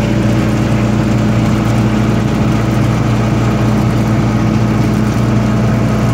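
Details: 1995 Libby MEP-804A 15 kW ex-military generator, 4-cylinder liquid-cooled Isuzu diesel rebuilt in a 2010 reset, 688 hours, new filters and fluids, started cold, 1800 rpm: steady even low drone, no knocks or misses, runs smoothly, no unusual noises.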